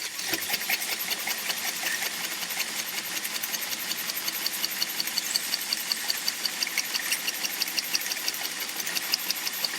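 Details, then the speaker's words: 3D-printed Pastamatic filament spool winder for a Bambu Lab X1C: sharp, high plastic ticks about three a second over a light whir; knocking as it turns, a pin inside getting stuck is suspected. "Oh, you see this here? It got stuck here. So, there is a problem and that messes up your whole life. There is a problem with this pin here that is in here getting stuck."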